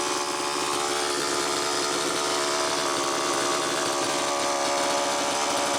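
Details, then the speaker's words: Homelite Super EZ chainsaw with suspected air leak, before repair: high buzzy, slightly hunting revs that won't idle down (should idle 2500–2800) despite high-speed and idle screws far out; running lean, carburetor or crank seal suspected. "it's definitely leaning out see how far out a the high speed screw is and b the idle and it's still not idling down so there's something going on"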